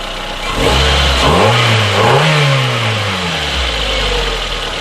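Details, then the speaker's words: Mazda 626 that missed under acceleration, after replacing spark plugs (number one plug carbon tracked) and reseating leads: engine picks up cleanly through two smooth revs and settles back to an even idle, no stumble or misfire. "we've now replaced our spark plugs and I'm happy with the results all I have to do now is take it for a road test and make sure there's no hesitation miss or anything like that"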